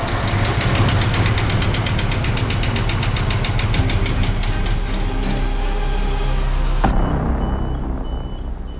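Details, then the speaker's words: Stolen Nissan R32 Skyline, first start after a new fuel pump and spark plugs: rough, stumbling running with uneven knocks about three a second as throttle is applied. It sounds boat-like and knocky when cranking; bad misfire, cause not pinned down. "That's a very bad sound. It sounds like a boat. That sounds really, it's misfiring as well. It's misfiring really bad, and when it's a bit cranking, knocky, man."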